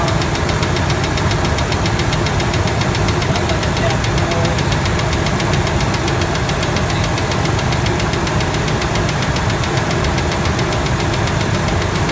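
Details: Loud idle on a 1997 Ford F-150 V6 with a fast steady tick-knock tied to engine speed from the top end; stethoscope on rocker arm bolts finds it loudest on the middle cylinder, both valves; valvetrain ticking, cause unknown.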